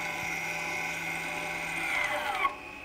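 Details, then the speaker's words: Electronic parking brake re-closed with an EPB service tool after new pads were fitted, before calibrating the calipers. A steady high motor whine, then a rising note and a clunk as the brakes come up to tension. Normal apply. "once that's done just go back to closing the brakes so what we do just pop down to there and then we can close the brakes again"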